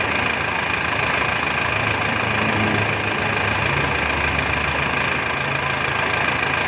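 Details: Isuzu Panther 2.5 diesel on first start after overhaul (new main and rod bearings, piston rings, liners bored). Even idle around 200 beats a minute, steady and smooth, no knock or rattle; healthy engine.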